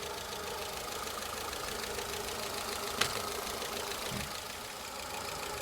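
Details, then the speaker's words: 2005 Peugeot 206 (1.4 or 1.6 petrol) idling rough after codes cleared: uneven, lumpy beat with faint irregular tick. Codes P0204, P1336, P0300. One injector not heard working; injector or its circuit suspected. "so you can hear it's still a bit rough at the moment i'll keep my all right i'll have a listen so i still cannot hear that injector so to me it's like an injector issue"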